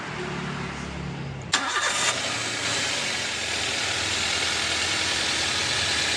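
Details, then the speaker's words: 2010 Toyota Avanza, complaint of noise from the front of the engine: it fires into a quick idle with a rough, hissing rub as the crankshaft pulley, whose rubber damper has failed, wobbles and rubs the CKP sensor housing. "dari puli yang makan ee perumahan dari sensor ckp ya itu kalau kita lihat puli menggesek dari Perumahan sensor ckp"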